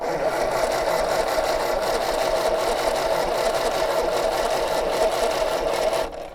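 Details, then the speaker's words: MG TD found sitting in a backyard, spark check at the plug: starter spins the engine at a steady fast churn, about four turns a second, never catching or firing; crank no start, no spark seen. ">> All right. No spark. >> No sparky."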